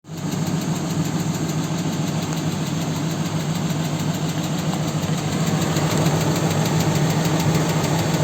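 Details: 4.7 engine at idle: steady, low, heavy knock about three to four per second over the engine note; source not pinned down.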